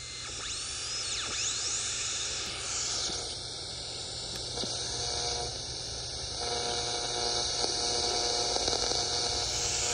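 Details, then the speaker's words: Likely late-1940s/early-1950s Ford (Zenith) 6-volt AM tube car radio with a 7B8 pentagrid converter tube; a thin whistle sweeps up and down over steady hiss as the dial is tuned. Normal converter oscillator operation, while the audio output tube is shorting. "so that's the signal from that converter transistor running i mean that converter tube running the pentagrid 7b8"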